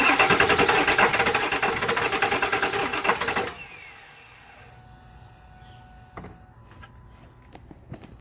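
Starter spins the engine in a steady, even chug for about three seconds, but it never catches or fires before cranking stops.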